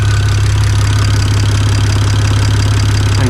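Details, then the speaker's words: BMW 335i with built N54 engine, idling after sitting a long time: steady, deep idle with even, consistent exhaust pulses, meaning compression is even across cylinders; owner suspects an exhaust leak or knock and smells combustion. "it's legit the exhaust pulses from the exhaust and i think it's just this exhaust so it's consistent which means compressions even across the cylinders"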